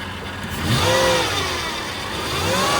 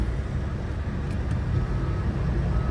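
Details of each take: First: Flooded Copart Cadillac DTS limo revved twice; the engine settles cleanly with no knock or miss, but a faint whine rises with the revs from a power steering pump that is low on fluid. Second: Flooded Cadillac DTS limo from Copart, running after a dead battery: smooth engine with a thin, high whine that comes and goes; power steering pump whining from low or no fluid, engine otherwise sounds great.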